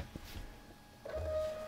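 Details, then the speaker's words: Canon Selphy CP760 photo printer being repaired for a false transfer-cassette-finished error, powered up: a short whir and click from the gear train, then a steady motor hum as the head cycles, smooth. "you could hear all the gears turning and whining and uh looked like it it raised its head um and made made it possible to put that cartridge in"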